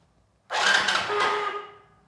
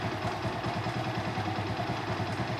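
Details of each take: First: Long-idle motorcycle, 46,000 on the meter, in neutral, fuel tank disconnected so no petrol, self-starter used to circulate oil: short, steady mid-pitched whir as the engine spins without firing. Normal starter motor cranking. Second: Motorcycle sitting for years, fuel tank cleaned, first start: uneven idle with light, irregular clatter and tapping. Owner suspects a timing noise and possible piston knock; engine must be opened, maybe rebuilt.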